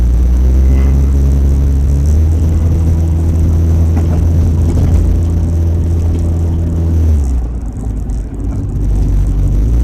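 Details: Car, apparently an old Crown Victoria, driving at around 30 mph after striking road debris at about 50 mph. Deep, throbbing rumble far louder than stock; owner suspects exhaust damage behind the wheels, not confirmed.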